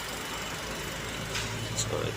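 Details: Chery Tiggo 7 Pro hybrid started after sitting almost a year, once the 48V battery was reconnected: steady low, even idle hum with no knocks or misses under some background hiss; running smoothly.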